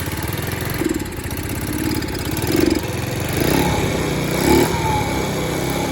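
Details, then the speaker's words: Free TaoTao 50 two-stroke scooter, a curbside find revived after a carburetor drain-line mix-up, idles unevenly with a wavering, surging beat about every second; still rough-running but much improved, headlight not working. "said, she ain't the best running thing on the planet, but definitely a lot better shape than when it first showed up here, I'll tell you that."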